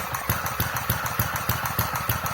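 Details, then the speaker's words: Centaur model engine (Westbury design) with electronic ignition and fuel injection, cold and not warmed up, slowed to about 650 RPM idle: slow idle with sharp pops about three a second spitting back through the intake, mixture too weak. "If you heard that spit back, that's a sign that it's too weak, so again, because it's not warmed up."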